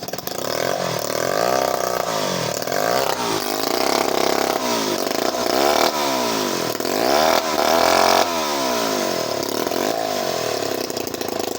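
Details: Vintage Remington Bantam two-stroke chainsaw, started with a little choke for a last run before going to a new owner: buzzy revving through repeated throttle blips, picking up cleanly and settling each time; runs healthy.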